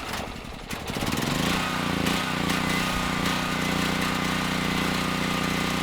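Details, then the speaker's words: Generac XG8000e generator, 407cc GH410 engine with clone carburetor, after swapping in a Predator AVR: hard to start, runs with uneven hunting beat over steady hum; lean carburetor mixture, smooths out with partial choke, carb needs reworking. "I'm not sure what changed but the carb is not running the engine very well it's actually running pretty lean it was hard to start"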